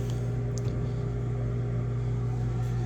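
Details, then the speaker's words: Nordyne/Frigidaire furnace, heater not turning on: blower motor runs with steady low hum but no ignition click or burner whoosh; burner not lighting due to failed hot surface ignitor (part 532363). "Okay, we can hear the blower motor is running, but it's not launching, it's not turning on."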